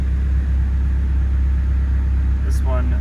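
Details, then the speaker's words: 1999 Nissan Silvia S15 Spec R, 111,000 km, converted from automatic to 6-speed manual with the automatic cluster kept, at idle: low, steady, even rumble with no hunting or raised idle. Normal idle. "yeah she fires up like a full normal car you can see the uh automatic cluster is still there 111,000 km idling fine"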